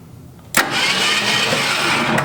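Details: 1966 Ford Mustang project first start: a sudden burst, then steady cranking about two seconds that never catches; spark present but ignition points barely open, badly gapped or worn, needing adjustment or a new set.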